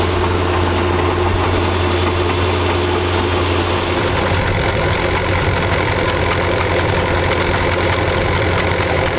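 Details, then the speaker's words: 1999 Chaparral 1930 SS with Mercruiser engine and outdrive: idling in gear at steady drone with good oil pressure, rough uneven clunking from the transom/outdrive as if not fully engaging gear; source unclear, exhaust leak also suspected. "you hear that it's like some clunking noise it's almost like it's not going in the gear all the way you know"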